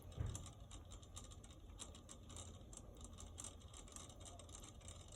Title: The hose faucet outside. Making a strange noise. Haha 😂